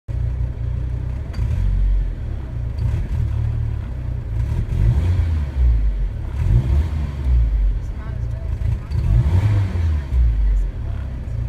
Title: Hesitation from idle and misfire